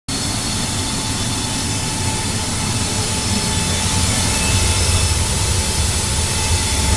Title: Annoying furnace noise